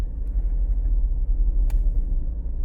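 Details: 2015 Ford Escape all-wheel drive, chatter on hard turns: low cabin rumble at parking-lot speed with one sharp snap from the rear as the differential clutch binds, less extreme than before after work.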